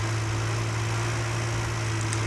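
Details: Car that kept stalling, idling after the undersized, overheating coil-to-points wire was replaced with a thicker one: even, steady low hum with constant tone, no misses or stumbles; engine running right.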